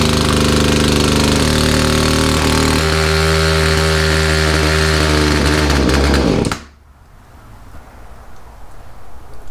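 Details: Poulan chainsaw after a Zama carburetor rebuild kit and new filters: rough, fast, uneven running that sags, then dies abruptly at about six seconds. Owner suspects the carburetor setting was too low and will recheck.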